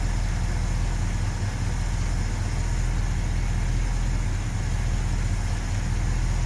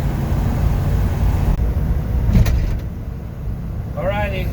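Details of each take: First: 1970 Ford F250 with 360 V8, warming up after spark plugs regapped to about .042: heavy, slightly uneven idle; vacuum leak suspected since idle mixture screws had no effect, carb base bolts found loose. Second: 1970 Ford F250 with 360 V8, after carb tuning and plug regap, driving around town: smooth, even engine drone under road rumble with no sputter or stumble; running best ever, good throttle response.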